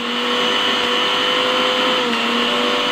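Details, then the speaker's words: National blender fully reassembled after repair, breaker bypassed by joining two wires as a temporary fix, power light on: steady high motor whine at even pitch with no stutter, grind or rattle; normal blender running. "ඔව් ඕගොල්ලන්ට පේනවා ඇති මෙතන light එක පත්තු වෙලා on වෙලා තියෙනවා. වැඩ කරනවා."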